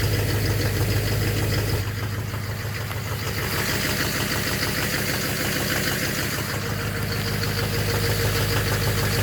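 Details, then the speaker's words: 2009 Chevrolet Duramax LMM dually at cold morning-startup idle: steady knock at about three per second over a rough idle that doesn't change; owner suspects an injector or a cracked flex-plate, unconfirmed. "That doesn't sound good. Yeah, now you hear the knock. And you can see why I thought it was an exhaust leak, because it's kind of like, it's just louder, it doesn't seem to affect it."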